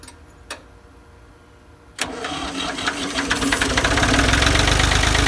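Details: Ford 2000 diesel tractor started on weak battery, running on Diesel Purge after bleeding; diesel catches and clatters with hard uneven knock about three beats a second, smoky; rough running from bad injectors.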